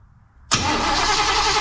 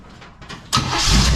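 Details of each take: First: 1935 Oldsmobile sat for many years, rewired, first start attempt, fuel pump working and fuel squirted in: starter spins engine evenly about three seconds with no firing or pop; no ignition because the distributor was left unplugged. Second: 1935 Oldsmobile sat for many years, rewired, distributor now plugged in: silence, a few weak cranks, then engine catches and settles into a strong, even, loud run; normal first start.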